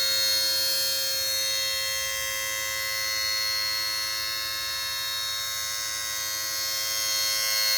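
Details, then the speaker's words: 2002 Mercedes SLK230, key on, near the auxiliary fan area: steady high-pitched electrical whine with a fine buzz; not the A/C compressor by stethoscope, traced to a module found by touch. "Ah, you know what? Wow, it's this thing. Wow, it's this module right here."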